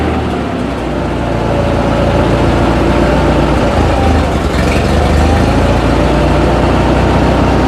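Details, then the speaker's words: Ford 8N tractor abandoned eight years, after fuel flow restored from tank of green old fuel: steady low idle with choke on; won't run without choke. "Okay it definitely needs a little bit of Choke to stay running right now but it's running good"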